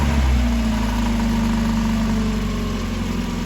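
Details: 1990 Mazda Miata with high, fluctuating idle problem, just started: engine catches and settles to a fairly even idle with no hunting yet; surging develops only after running a while.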